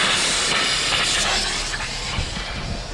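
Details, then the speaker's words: 2006 Chrysler 300 after Blue Devil head gasket sealer treatment and coolant flush: loud steady hiss of escaping steam over a faint engine, fading slightly; exhaust gas still pressurizing the coolant through the leaking head gasket, so the sealer did not work. "it is safe to say that blue devil does not work blue devil i want my damn money back i followed every instruction to the teeth um and obviously there's still exhaust gases still inside of here"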